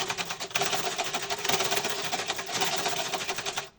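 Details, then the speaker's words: Sewing machine before servicing, faults not described by its owner: fast, harsh clattering chatter with sharp high ticking while running, far noisier than it should be. Cause unclear; the technician plans to check the parts first. "তো চলুন বন্ধুরা যেহেতু মেশিনের যা সমস্যা আছে তার মধ্যে শব্দটা তো প্রচুর হচ্ছে।"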